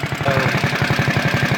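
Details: CT200U-EX mini bike, governor removed, PVL flywheel, Mod 2 cam, 22 lb valve springs, ARC billet rod, RVL exhaust, Mikuni carb, just reassembled: quick, even single-cylinder pulses around idle, steady exhaust bark, no knocks; runs smoothly and healthy.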